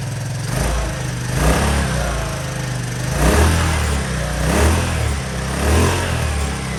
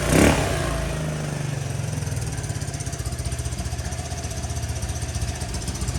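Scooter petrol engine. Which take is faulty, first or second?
first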